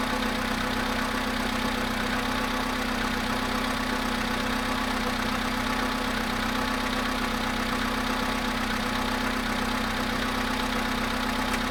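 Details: Volkswagen Polo sedan at 0.5 °C after standing 13 hours, cold start idle: light, fairly regular tapping two to three times a second over the engine; engine knock, cause unknown.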